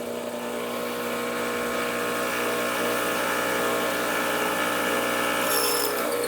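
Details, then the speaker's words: Rancilio Silvia single-boiler espresso machine, startup priming through the steam wand with the hot water switch on: even steady buzzing vibratory pump hum with no stutter or rattle as water flows. Normal pump operation. "When you hear a different pump noise when the hoses are squeezed, it tells you that the pump is actually pumping water through the system, and that's just a quick check."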